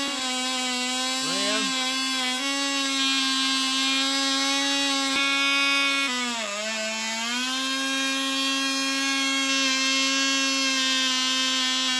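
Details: Cox .020 Tee Dee nitro glow model engine on thrust test stand at full throttle: steady high-pitched scream, dips briefly, then recovers and holds evenly; about six ounces thrust, runs great; normal full-throttle running.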